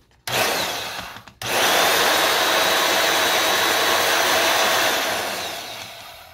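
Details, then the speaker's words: Milwaukee band saw after repair with new chain setup, no play left: smooth, even motor and gear whir with no clatter or knocking through spin-up and run, sounds like new gear. Normal gear drive running. "like a new gear in there is what it sounds like."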